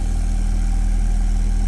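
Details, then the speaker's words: Alesis M1 Active MK2 powered speaker playing a 40 Hz test tone: steady low bass with a breathy, fluttering airy buzz from an air leak in the cabinet, so the ports cannot work properly. "can you hear that sort of Airy buzzing sound yeah there's a leak there's an air leak in these speakers"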